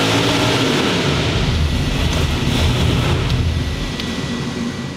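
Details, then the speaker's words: Boosted engine on dyno with very large cam: loud high revs, then fades and stutters bouncing off the rev limiter as the load disappears, apparently when the dyno shaft came out of the coupler. "okay that last little thing was something in the dyo broke m r clear out there I think it came separated out of the Pu or something so we'll uh go check that thing out sounds like the or the Sha came out of the coupler"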